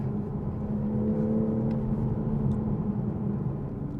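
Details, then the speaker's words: 2021 Toyota Supra GR 3.0 Premium in sport mode under acceleration; deep, even exhaust note building smoothly with throttle, no misses, rattles or drone; healthy sport exhaust. "and it sounds really good it definitely sounds good"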